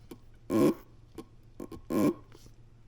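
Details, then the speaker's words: Old purge flow valve from a 2015 Ford F150 2.7 EcoBoost, off the truck and sucked through by mouth: two raspy hissing puffs show it leaking when it should be shut. Likely stuck open slightly or intermittently, causing no-start after refueling. "So, well, you can test this, and I don't expect everyone to do this, but what happened is this is probably stuck open slightly or intermittently."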